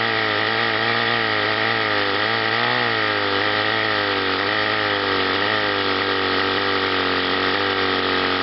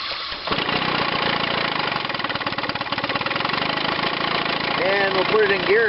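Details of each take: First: Chrysler outboard on a test wheel, top cylinder hotter: runs steadily but stumbles as one cylinder cuts in and out; intermittent ignition misfire, condensers under the flywheel to be checked. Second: Chrysler outboard on a test wheel, battery 12.93 V: cranks and catches at once, settling into steady, even two-stroke burble with no misfire; starter-generator working, charging about 14.5 V.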